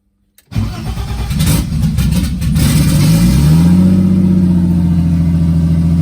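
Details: BMW E30 with M52 24v turbo engine, first start (30 psi oil pressure while cranking): it catches, flares and stumbles into an unsteady idle; intake air temp read a false -16 °C; rough idle after start.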